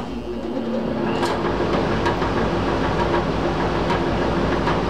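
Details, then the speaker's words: Squirrel-cage blower running just after worn-belt replacement, belt possibly a little too tight: steady airy rush with a light loose rattle about three times a second, much quieter and softer than before. Normal running. "I run it a little bit to kind of flex the belt on as you can hear it's a lot quieter a little bit of rattle to the blower it's softer it ain't bad"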